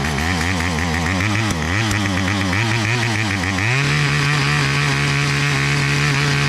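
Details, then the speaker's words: Garden tiller small engine tilling a patch: an uneven, labouring chug suddenly jumps in speed and settles into a steady, stronger run. Owner suspects something blocking a carburetor port shot out; cause unconfirmed. "I was running it for a bit, tilling up this little patch, and it seems like there's something in the carburetor maybe blocking one of the ports, and it just shot out, and all of a sudden this thing started running a whole lot better"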